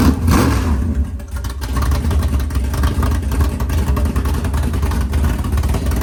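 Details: 500ci big-block Mopar 440 (built by Indy Cylinder Heads) in a 1969 Barracuda, first fire-up in the car: loud, choppy big-cam idle at about 1100 rpm, no knocks or rattles; healthy.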